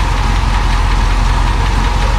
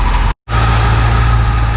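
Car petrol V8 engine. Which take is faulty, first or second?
first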